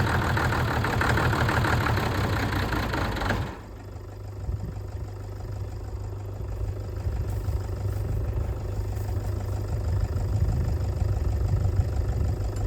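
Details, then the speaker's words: Ford tractor diesel, which had revved and died and then would not bleed, now idling. After clapping, it settles into a steady, even low rumble without stumbling; runs cleanly. "I'm quite delighted how well this sounds it's not not s like a John Deere anything it's not as near as nice as that but for this thing it sounds pretty damn good"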